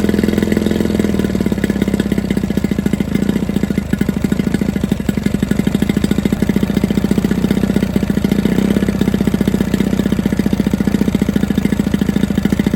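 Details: Cold start of a new-to-me 1987 Johnson 9.9 long-shaft two-stroke outboard on flush muffs, choked and primed; crisp, even putter with rapid steady firing and no misses, idling cleanly; possible Starcraft kicker.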